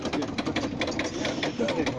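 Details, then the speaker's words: 1992 Chevrolet Corvette after a battery replacement, engine off: fast, even ticking of about eight clicks a second at key on and at key off; suspected cause of the battery drain, not confirmed. "When you turn the car on, it makes that noise. When you turn it off, it makes that noise."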